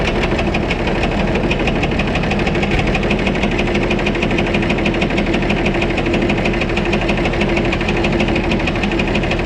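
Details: White 2-155 tractor diesel restarted after washing, needing engine work: loud steady run with an uneven knock about three per second; blow-by normal, exhaust clear, oil pressure normal; internal cause unknown until the engine is opened.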